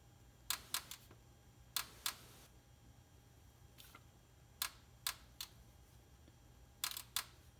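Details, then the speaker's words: 1994 Chevrolet Caprice no-start after the Opti distributor was replaced with a Spectra GM05; fuel pump relay disconnected, engine not running. Spinning the Opti slowly by hand gives sharp dry paired injector clicks spaced periodically. Normal injector firing. "can hear the injectors clicking periodically"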